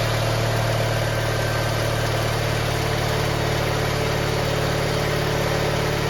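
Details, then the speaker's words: Garden tractor GT18 with carburetor refitted, air cleaner off: turns over and catches with a rough, uneven low beat and steady hum; sounds like it's flooding, which it did not do before. "now that's not promising sounds like she's flooding which is not good it was not flooding before"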